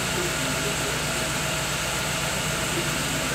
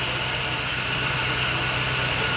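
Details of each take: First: Chevrolet Agile with new coil, plug wires and spark plugs, idling after a timing belt job, timing checked with an oscilloscope between marks 8 and 9: rough, stumbling idle with dropped pulses; crank sensor relearn not done. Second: Chevrolet Agile that had been misfiring despite new coil, leads and plugs; after the repair and scan showing no fault codes, the engine idles steady and even with no stumbles or weakness, a normal idle.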